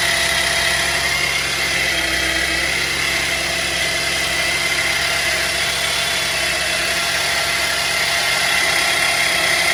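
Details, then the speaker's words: 2010 Chevy Traverse: after cleaning the power steering reservoir and topping up with full synthetic fluid, a steady high whine remains over the idle, much reduced from before. It is barely noticeable at idle later; the cause is not confirmed. "The noises went down quite a bit. It still got some whine to it."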